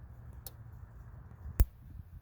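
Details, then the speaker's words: Parmak Mark 5 electric fence charger from an estate sale, tested plugged in with a screwdriver: sharp spark snaps about once a second jumping at least an eighth inch, indicating normal, strong output. "see if we can. It jumps a pretty good spark. Probably at least an eighth inch."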